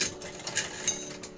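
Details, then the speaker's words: Pooja-brand home sewing machine after oiling and cleaning inside: light, quick, even ticking of the hand-turned mechanism, no binding or grinding. The machine now runs light and well; normal running. "की machine भी बढ़िया हो गई हल्की चल रही है काफी"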